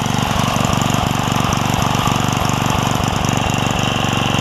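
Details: Craftsman 3hp Tecumseh edger with retrofitted snowblower carburetor, after sorting the governor spring and linkage: small single holds a steady, even beat at moderate speed with no surging or misses; runs healthy.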